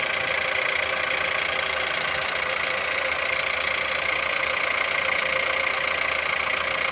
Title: Холодный пуск. Стук в двигателе. Пробег 176000.